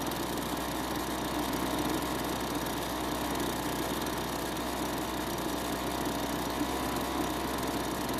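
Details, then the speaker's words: Kawasaki-branded two-stroke leaf blower at spring start-up after storage; steady, even drone at constant speed with no misses or surging: normal running. "and fortunately the leafblower worked just like they're supposed to"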